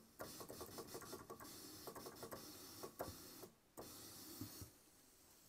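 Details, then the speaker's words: Roland Juno-106 (1984) synth, DCO noise, range 8: crackly, clicky hiss that cuts out and returns on voice 2, whose voice chip (A1QH80017A) is faulty; voice chip fault, intermittent voice dropout. "The sound comes out and then doesn't come out, right?"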